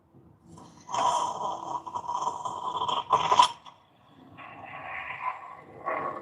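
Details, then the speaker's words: Odyssey Argos espresso machine, mic close to brew head, at shot start: rushing whistly hiss for a couple of seconds settling into softer gurgle as the brew head fills during pre-infusion; normal. "Right, so you'll hear the hissing sound. I'll bring my mic closer. You'll hear the boiler, the brew head being filled with water."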